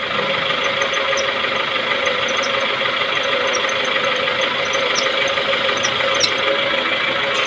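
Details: Maruti Suzuki Baleno with engine running: steady loud groaning hiss with faint irregular ticking while the steering wheel is turned; loud steering noise when turning, cause unknown.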